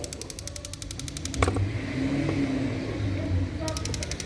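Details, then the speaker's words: Opel Astra 1.6 Ecotec on LPG, runs fine on petrol but LPG faulty; injector bench-tested across stages 1–6 (another injector gave no response): crisp steady ticking about four clicks a second, pausing then resuming; this injector is sound, normal clicking. "1. kademe ve ikinci kademe 3. kademe 4. 5. 6. kalem bu enjektör sağlam"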